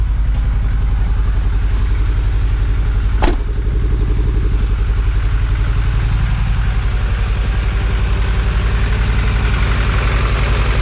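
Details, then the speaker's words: Supercharged Honda Integra at idle on first start: uneven, stumbling idle at about 220 pulses a minute, a misfire later traced to two spark plug wires swapped. "it is misfiring Oh all right well looks like we had a misfire I do not know why"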